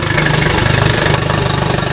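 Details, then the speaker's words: 2007 Yamaha F50 TLR outboard after water pump impeller replacement, idling: steady, even idle with a smooth low firing beat and no knocks. After 10–15 minutes water pressure is about 17–20 at idle, 25–30 at fast idle. Normal. "Okay, this bad boy's been running for about 10-15 minutes here. I've checked the pressure, water pressure is right at about 20 idling, 17-18 idling."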